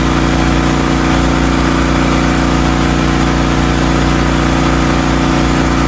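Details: Hotsy steam pressure washer with 16 hp gas engine, bought non-running, after igniter wire/electrode repair with burner heating water: loud constant engine drone with steady pump hum, no surging or knocking; runs healthy and even.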